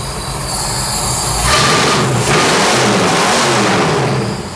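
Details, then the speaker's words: 1972 Mustang Mach 1 V8 after MSD Atomic fuel injection install, once all injectors were getting fuel: deep strong V8 climbs and holds on throttle with an even steady beat, sounds healthy; normal running. "That thing's nice. Sounds like a damn stock car motor."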